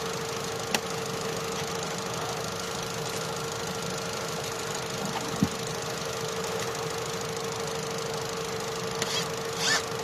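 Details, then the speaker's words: Opel Astra J 1.4 with a single coil pack, which had a check-engine light, shaking and a cylinder 1 misfire: after clearing codes, misfire counters read zero on all four cylinders, and it holds a smooth, even idle hum with no miss. "Zero. Ăsta e history și a avut, dar acuma e zero. 0 la 2, 0 la 3 și la 4. Nu ești 0. Deci toate s cu zero."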